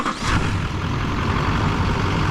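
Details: 2004.5 Chevy Silverado Duramax 6.6L LLY diesel just after new idler pulleys, tensioner and serpentine belt: steady diesel clatter at idle with no squeal, chirp or whine. The accessory drive is tracking well and running smooth; normal idle.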